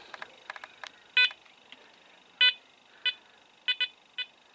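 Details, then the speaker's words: Apex metal detector on full sensitivity, multi-frequency, relics mode, returned as repaired: irregular bursts of sharp high beeps, a few per second then pausing, with nothing being swept. False chatter from interference persists despite the fix. "sometimes it'll just stop for a bit and then it'll kick off again yeah there goes again right now that's supposed to be fixed"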